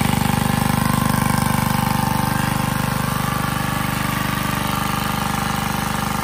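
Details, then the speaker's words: Generac 79 cc gas water pump, repaired months earlier with compression raised to about 120 psi, pumping out a basement: steady fast even exhaust beat at constant speed under load, no misses or knocks; running well. "so it's been a few months since I fixed this I fix it on Christmas and now it's April and I'm putting it to work and it's working pretty good"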